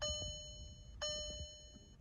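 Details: Non-running VW TDI bought cheap: clear two-tone dash chime repeats about once a second, three times, in a quiet cabin as a key is tried; immobilizer not recognizing that key, owner suspects failed programming of two of three keys.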